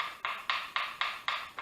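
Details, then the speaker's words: Porter Cable PCC 660 20V cordless circular saw, blade rocked by hand: sharp hollow clunks, about four a second, from arbor play in the motor. Reviewer suspects a bearing press-fit problem or poor arbor or bearing quality. "That's the arbor moving back and forth in the motor. So they got a bearing problem. They either have the bearing press fit problem or they got a quality problem with how they set the arbor, or the arbor bearings."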